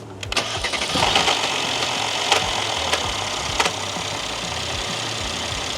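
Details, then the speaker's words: Mercedes W222 S400 cold start after sitting 1.5 hours: sharp metallic rattling for 2–3 seconds from bank 1 inside the engine, then a steady idle. A bank 1 intake camshaft position code is stored. A faulty cam adjuster or timing chain tensioner losing oil pressure is suspected, not confirmed. "처음에 탁하는 소리 이런 소리는 어 일단 엔진 내부에서 발생했고 뱅크원 쪽에서 여기서 발생했어요 어 캠 저스트가 분량에도 이런 소리가 발생하고 어 타이밍 체인 장력이 량 도 이런 소리 발생할 수 있습니다"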